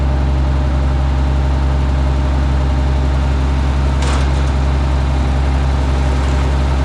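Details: Minneapolis Moline G900 LP tractor after clearing a bird's nest that caused no start: steady, even low hum at idle with no misses, knocks or rattles; normal idle.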